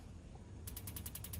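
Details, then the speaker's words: Kingdura 48,000 BTU propane pyramid patio heater, valve wide open: about nine sharp even igniter clicks, roughly ten a second, over a faint hiss, with no pilot catching; igniter clicks but pilot fails to light. "so we're going to just try and adjust a little bit more and see if we can get this thing to cook. Testing all our contacts. It's wide open to the left here. Still nothing."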